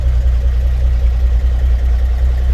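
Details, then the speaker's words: 1954 GMC 250 pickup with a 248 inline six, single carb and 4-speed manual, started with the floor starter: starts easily and settles into a low, steady, even idle with no knocks or ticks; smooth running. "Starter on the floor down here. Starts easily. Smooth running vehicle."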